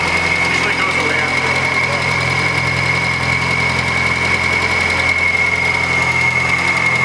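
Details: Project Turbo Z car restarted after long downtime and new parts: steady idle with a thin constant high whistle and faint ticking; odd unidentified high-pitched noise whose source is not pinned down, cause unconfirmed.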